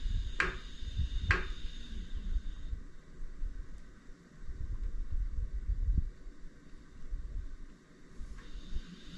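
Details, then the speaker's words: iOptron GEM28 telescope mount slewing at speed 9 on one axis only: irregular dull thumps under a faint motor whine, minimal at slow speed; suspected of causing backlash and PHD2 RA calibration failure. "if the speed is slow the noise is minimal but if i if i set the speed to like nine notice the noise that it makes it only does it on that axis"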